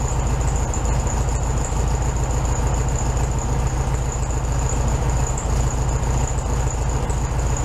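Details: 1967 VW Beetle 1500cc, warm idle just after carburetor reinstalled on new base gasket (second fix); even, steady idle about three and a half beats a second, no stumble or hiss, smooth but slightly high idle.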